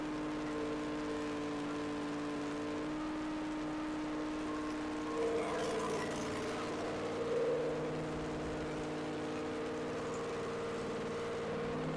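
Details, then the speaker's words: Freshly rebuilt Chevy small block 350 on an engine stand during roughly 11-minute cam break-in: steady even high-rpm drone, no knocks; running great despite valve cover oil leaks and heat, box fan insufficient for cooling. "so yeah, all in all, even though this is frustrating, like I said, it's it's running great."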